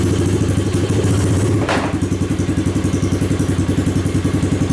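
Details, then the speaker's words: 2021 Tao Cheetah ATV, basically new with under an hour of use, just started after new carburetor fitted following bad-gas damage; loud, steady thumping idle around 220 beats per minute, no misses or clatter: normal idle. "I'll just hold the brake, put it in the run position, and turn the key. Yeah, that's pretty loud."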